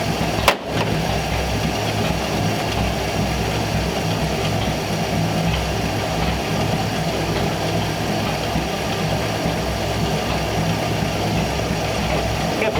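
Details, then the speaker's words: 1934 Ford Tudor at idle, not yet warmed up and idle mixture not yet set, just after a freshly rebuilt Rochester carb replaced the 50-year-old one; old spark plug wires suspected. Steady, even low rumble, sounding better; normal idle. "oh we gotta let it warm up before we set the idle air mixture but it already sounds like it's a little better"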